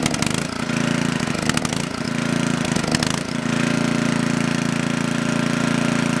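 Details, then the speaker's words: Coleman Powermate Maxa 5000 ER generator, reassembled, half choke, powering a 110 V light: surges and stumbles before settling to a shaky idle; carb adjustment or cleaning suspected needed. "Alright, so that tells me we either need to make a carb adjustment or we just need to clean the carburetor."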